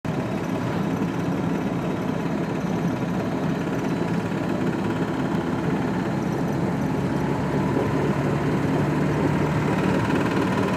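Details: VAZ 2106 engine running at steady speed with a faint, uneven tapping knock over the rumble, about four per second; cause not yet known.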